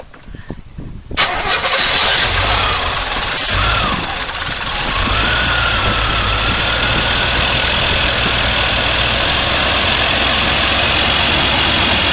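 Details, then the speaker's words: 1982 Corvette C3 with throttle-body fuel injection, left outside a decade, on first start after a fuel system overhaul. It cranks and catches, then a thin whistle holds over a rough idle; a vacuum leak, thought to be the small line to the air cleaner. "That's a vacuum leak right there. I think that goes to the air cleaner."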